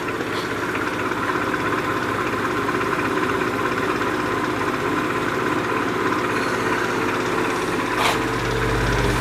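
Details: 1950s Patton 18-inch High Velocity fan, 3.2 A GE shaded-pole single-bearing motor, hot and running below normal speed: strained, rough hum with an uneven drone; the shaft is binding in its bearing, and the owner wonders if the thin fan oil is to blame.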